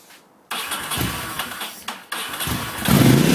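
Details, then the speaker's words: 2002 Ducati Monster after three days of troubleshooting a no-start, fixed by resecuring a fuel filter inside the tank that had vibrated loose. After a short crank it fires at once, blips a few times, then holds a strong, even idle. "And of course, she fires right up. So that was our issue."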